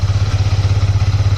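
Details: Yamaha R15 version 4 that cranked but would not start, after fault-finding without a scanner: the single starts and settles into a steady, even low thump at a quick regular pace with no misses; clean, healthy idle.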